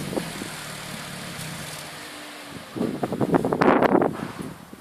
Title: Strange noise from pumaspeed muffler